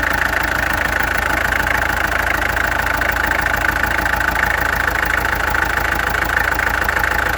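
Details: Peugeot XD2 diesel engine at idle with steady clatter and a slightly uneven, lumpy beat; owner suspects a misfire, and the injectors were then removed, tested and adjusted. Cause unconfirmed.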